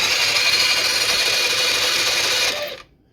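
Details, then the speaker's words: Blade 150 / RZR170-clone UTV with GY6 150cc shortcase engine previously seized, hotwired starter spinning it without spark plug: smooth, even high-pitched whir with no binding, then winding down; engine now spins freely. "That engine ain't locked up no more. I think it spins pretty good."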